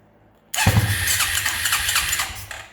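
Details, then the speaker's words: Quadrunner ATV-to-buggy build, single-cylinder engine started cold (first start of the day): short crank, fires at once and settles to a smooth steady idle. Normal cold start. "If you guys want to hear it run, it is cold, but I haven't started it yet today."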